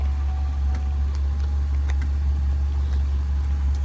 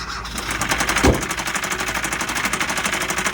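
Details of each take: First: 2014 Chevrolet Malibu at a tow auction, started right up: very soft, steady low hum with no knocks, misses or ticks; idles so quietly it barely seems running, normal idle. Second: 2012 Kia Rio at auction, started with a jump and moved forward and backward: very loud, fast, even knocking through the whole idle; serious engine knock, cause not determined.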